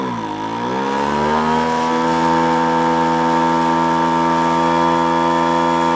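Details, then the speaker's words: Small two-stroke roadside-find machine climbs to a steady buzzy run that sounds choked and spitting back; owner suspects a clogged exhaust and plans to pull the muffler to check. "a you know I actually think it's sound it sounds like in the way it's spitting back out of the car like kind a clogged a clogged exhaust I'm going to go uh pop the uh Muffler off of there and see if you can find an issue in there"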